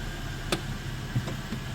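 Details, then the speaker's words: 2004 Toyota Tacoma SR5 3.4L V6 5VZ-FE, manual: low, even idle with no whine or squeal, just faint clicks; normal idle after fixing a loud power steering whine. "so-called power steering whine and that horror is gone, and we have a quiet engine again, right there."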